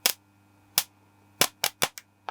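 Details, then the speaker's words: DIY handheld spot welder built from a microwave transformer, first power-up after mounting: low transformer hum, with sharp irregular cracking snaps each time the leads touch. It arcs properly and works normally. "if i did this correctly i should be able to turn it on it hums and if i put these together we should see some some sparky boys"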